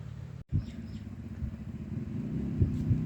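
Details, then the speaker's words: Honda Wave 110i: a rough, uneven clattering thump at idle with loud engine noise. The cam chain is so slack it slapped through the cylinder, cracking it and causing a heavy oil leak. "แล้วก็เสียงเครื่องดังมากก็ไม่แปลกนะครับที่ดังมากนะครับโซหย่อนมากจนมาตีเสื้อสูบทะลุนะครับ"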